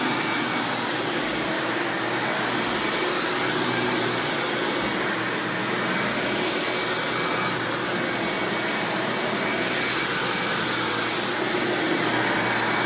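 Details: 1997 Hoover Dirt Finder Power Drive self-propelled upright vacuum, model U6331-930, Elite style, running: steady, even motor roar with constant airy hiss, no surging, rattles or scraping; exceptionally smooth, surprisingly quiet, normal running.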